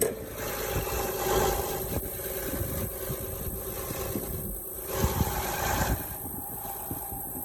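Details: Honda Odyssey at a steady idle with a raspy, hissy rushing over the engine and a few sharper puffs. An exhaust or vacuum leak is suspected but not confirmed.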